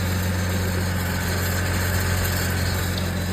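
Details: 2008 GMC Envoy idling after alternator replacement, old alternator suspected of bearing noise: steady, even idle, smooth low hum, no knocks, ticks or squeals.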